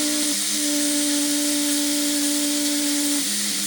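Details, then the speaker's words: Restored 1960s Faema Faemina lever espresso machine, warmed up, pressure regulator on high at about 1 bar: a strong, steady rush of steam with a constant low tone, no sputtering or fading; normal, powerful steam wand output. "I'll go ahead and take this off to demonstrate the steam power on 1 bar. And we do have plenty of steam."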